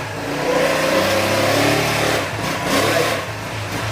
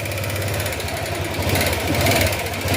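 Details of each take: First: Honda Click 125 V3 scooter that still smoked after a repair elsewhere, now after repair. Revving is clean with no ticking; it is quiet, smoke gone, normal revving, though the CVT/transmission sound was noted as somewhat unusual. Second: Honda Click 125 V3 scooter, smoky right after a prior repair, idling: loud, fast, even top-end ticking; worn valve guide, the cause of the smoke.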